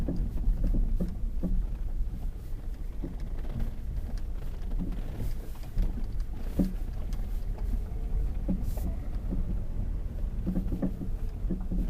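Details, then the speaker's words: Lada Vesta at about 45,000 km, driving slowly over rough road: sharp scattered knocks from the right front over rumbling road noise; worn right front anti-roll bar link, covered by warranty, not the engine mount previously suspected. "теперь по поводу стуков стук с правой стороны то стойка стабилизатора цена ремонта 8 замена стоимость запчасти 800 рублей"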